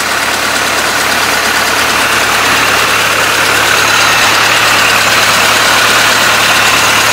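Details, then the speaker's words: Old carbureted truck in cold weather, first start after a couple of puffs into the carburetor: loud even idle, fast steady patter, much hiss, small exhaust-leak tick; normal idle. "let's see if this truck will start from us and it's cold out here [Applause] not here a couple of Puffs to that old carburetor [Applause] she's alive"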